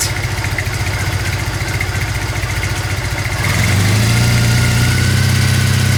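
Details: Old Triumph twin motorbike from a shed find, started cold with dirty exhausts and oil unchecked: catches and settles into a steady, even low thump that firms up after a few seconds, no knocks or misses. Healthy cold idle.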